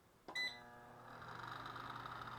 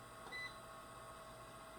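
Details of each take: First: Electric fireplace fan after repair: once reassembled and cleaned, with its brass end bearing greased with heavy automotive grease, it spins up after a beep to a smooth, steady hum with no squeal or rattle. The bearing now runs quietly. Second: Secondhand electric fireplace insert, said to be lightly used, heater fan running before teardown: steady, thin, slightly raspy whirring hum; heat output fine, owner suspects worn or dry fan motor bushings or bearings needing lubrication.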